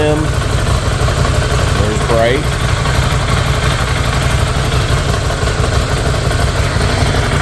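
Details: 2016 Ducati Scrambler from a total-loss insurance auction, being resurrected: steady, even low thrum with no knocks or ticks, smooth idle throughout; running clean.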